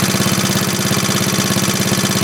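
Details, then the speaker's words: 1939 Onan generator first running after the carburetor was cleaned of varnish (float was stuck), choke off, output 115 V: even, steady low thump with no misses, surging or smoke; healthy steady running. "That's pretty cool. There we go. That's good, steady. Look at that, Mike. No smoke or nothing."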